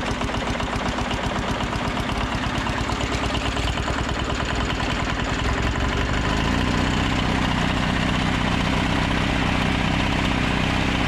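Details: Old 2-cylinder diesel, believed Cummins, off a generator, on a sawmill; sat 6–8 months. Loud steady chugging settling into firmer rhythm as it warms; fires cleanly, no knocks or misses, normal.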